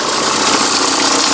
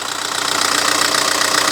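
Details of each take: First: VW Touran MkI 1.9 TDI diesel at idle before belt tensioner replacement: busy rattly clatter over engine note, accessory belt visibly flexing up and down from worn tensioner. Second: VW Touran MkI 1.9 TDI diesel idle after replacing accessory belt tensioner: steady even fine diesel clatter, no clanking, belt no longer flexing; running smooth and healthy.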